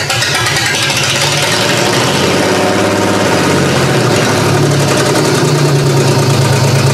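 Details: GM 3100 V6 in a Camry derby car at first start-up, with big vacuum leaks: loud, lumpy idle that stumbles and hunts instead of settling; owner suspects cylinder two misfiring, possibly coil pack; fuel is old and smells bad.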